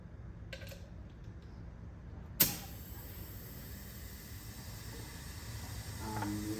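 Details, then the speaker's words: 2010 Chevrolet Traverse 3.6L with misfire codes, leak-down test at about 130 psi: sharp pop as air enters, then a faint steady hiss past the piston rings. Cylinder holds compression; minor ring leakage expected to seal once warm. "So right now I'm like way past the set mark, so that means our cylinder is holding compression. Now you can hear it's leaking, but it's gonna leak at the bottom because of the piston rings."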